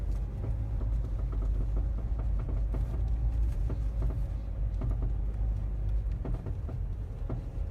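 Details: Mazda 3 (BM) while driving: irregular dull knocks from underneath over the low road rumble, heard only in cold weather since purchase. The owner suspects the dealer-installed crankcase guard; the cause is not confirmed.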